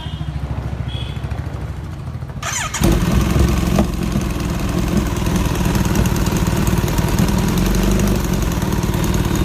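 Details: Kawasaki Z900 motorcycle starts and settles into a steady, even idle with no exhaust knocking after fitting a new header gasket, which cured the previous knocking.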